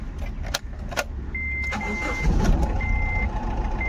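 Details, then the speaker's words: Honda Amaze diesel with low pickup, vibration and check engine light; after clearing codes, current fault is number 3 injector circuit open (P0203). Catches and idles unevenly under warning chimes, stumbling beat of a dead cylinder; misfire from open injector circuit. "Current में number three injector circuit open का और उसकी वजह से भी गाड़ी हमारी missing कर सकती है और कर रही है उसकी उसका ही प्रॉब्लम है"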